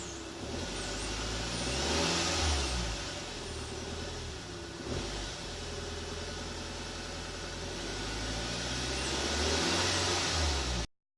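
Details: Audi A4 B7 engine running and revving lightly, with a thin whine over the motor that rises as revs climb.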